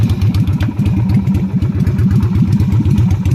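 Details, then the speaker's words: Yamaha Virago XV250 (Route 66 edition) V-twin on open straight pipes: rapid, loud, uneven idle pulses with a sharp bark and no muffling; failed inspection for the straight pipes, and stock mufflers are to be cleaned and welded back on. "back from the inspection place won't pass I already know why because it made straight pipes"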